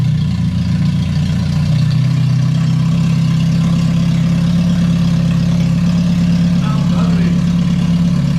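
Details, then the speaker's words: Lotus Elise; at a red light the exhaust suddenly went deeper and loud like a straight pipe; deep droning unmuffled idle with heavy rumble; owner suspects a header gasket; broken muffler. "i was at a red light and out of nowhere it sounded a little deeper and i got i got on it after that and it just sounded like a straight pipe single cam honda or something"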